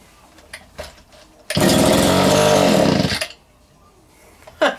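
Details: Vintage Echo two-stroke strimmer, first start attempt after reassembly with the air filter box forgotten: a sharp buzz fires up and runs for about two seconds before dropping off; the engine starts and runs.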